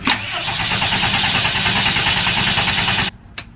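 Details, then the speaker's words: Diesel step van cranking after a fuel filter replacement, fuel heater cycled first: steady cranking at about three turns a second, no firing. No leaks seen; owner suspects the fuel must still be pumped through the dry filter. "Gonna wait a minute. It's not going, but I don't see any fuel going anywhere, so that's a good sign. That's twice. It's probably just got to pump the fuel through."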